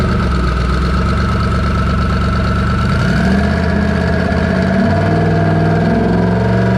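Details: Twin-turbo Coyote V8 held hard at high rpm under boost on a dyno after plugs were re-gapped from 0.019 to 0.016 in. The note wavers and breaks up unevenly. Misfire, possibly valve float from stock valve springs, unconfirmed.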